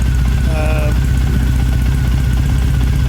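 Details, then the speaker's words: Motorcycle idling untouched, about 10 minutes in, during a TuneECU new-map adaptation, with a green TPS light showing. Loud uneven idle at roughly three pulses a second, with skipped or weak firings, so it misfires at idle. Engine light is on; the owner suspects the removed solenoid. "terms of how it's firing. It doesn't always fire correctly, sort of."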